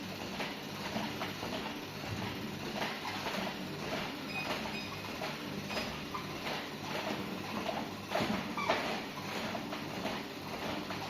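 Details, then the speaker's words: Walking treadmill (WalkingPad A1 Pro) after reassembly: light repeated knocks and ticks over belt hum near the motor, caused by a sticker that fell off the motor; removing it stops the noise. "Не поверите, но всё, всё отлично в целом. В общем, наклеечка с двигателя слетела и сделала примерно то же самое."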